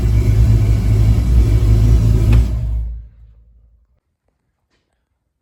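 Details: Jeep V8 on its first start after an ACES Fusion EFI install, fuel system primed and leaks fixed: a deep, even rumble holding a steady idle with no misses or knocks before fading; the engine runs cleanly.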